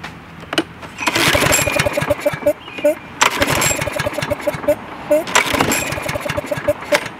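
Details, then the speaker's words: Craftsman lawn mower with a bent, seemingly frozen throttle linkage near the automatic choke: repeated pull-cord whirrs briefly spin the engine with no firing at all, because the spark plug wire was left disconnected. "come on oh dummy disconnected the spark plug idiot"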